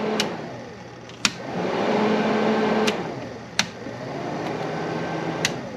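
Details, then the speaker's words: 1982 Fiat 124 Spider heater blower motor, previously not working, engine out of car; steady even whirr of small fan holding one speed with sharp switch clicks, then low; blower works normally. "el it you're not going to see anything but it works and then low"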